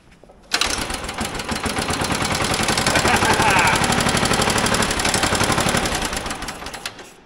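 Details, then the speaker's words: Old motorized dumper engine, carburetor main jet found turned fully in: steady fast cranking around four turns a second with no pop even after ether; cranks but no start from fuel starvation. "man we are not even getting a little pop I would think that we should be getting something here"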